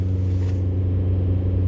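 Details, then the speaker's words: VW Golf TDI diesel with stock OEM engine mounts, cabin, held near 2,500 rpm; smooth even diesel hum with no shudder, vibration becoming more balanced than at idle; normal revving. "On throttle, let's do like 2,500 RPM, I would say. It's very hard to dose it. Yeah, okay. Water doesn't change much. Neither does this."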